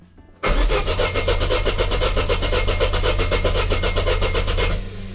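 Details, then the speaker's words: 2005 Daewoo Lanos 1.5 L with Check Engine light, rough idle and hesitation, cranked on the starter with the ignition coil unplugged; uneven compression pulses indicate low compression in one cylinder, cylinder 3 suspected. Plug 1 was later found broken and plug 4 fouled. "рівномірності обертання можемо зробити висновок що є проблема з компресією в якомусь циліндрів в нашому випадку робимо ставку на третій"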